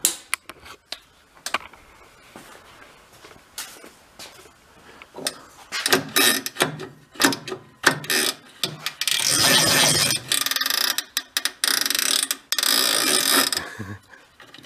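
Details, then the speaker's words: 1960s Ski-Doo snowmobile (stated as 1967 or 1969), left outdoors for decades, slow pulls after priming: a dry, uneven, halting ratcheting clatter on each return. The recoil pull starter is binding and not retracting properly, likely needing disassembly. "pull pull start makes a weird noise so back you up so you can see what's going on it's not going back in right it's going in on its"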